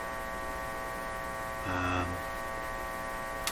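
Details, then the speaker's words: Philco 38-C7 tube radio: constant low buzzy drone from the speaker, unchanged throughout. A voltage drop across the bulbs was suspected and then ruled out; hum source not found. "the hummus coming out of the speaker is the hum being generated in the"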